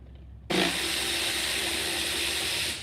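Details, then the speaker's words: Honda D16 engine running with a sharp, airy hiss rising over it, holding steady, then fading: vacuum leak coming from the bottom of the throttle body. "Hear that vacuum leak again? It's"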